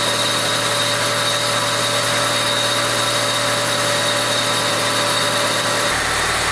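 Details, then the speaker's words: Honda Civic EG project with swapped engine, test run after reassembly checking for strange noises: steady, even, smooth and fuller idle with no ticks, knocks or misses; engine runs normally. "Oh ya jangan didengar oleh teman-teman suaranya jadi halus dan ya jadi lebih padat ini suaranya nih"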